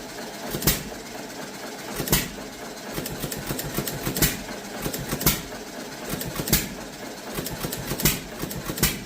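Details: Antique John Deere Model E hit-and-miss engine, first run, winter in Nebraska: slow steady chuffing with a sharp firing bang about every 1.3 seconds, coasting between shots; normal healthy hit-and-miss running.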